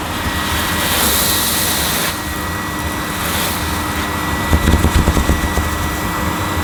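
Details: Panasonic MC-E862 bagged cylinder vacuum, bought new in box, picking up dirt on deep pile carpet: a steady airy rush with a faint constant whine and brief rattly pickup near the end; a relatively quiet, good performer running normally.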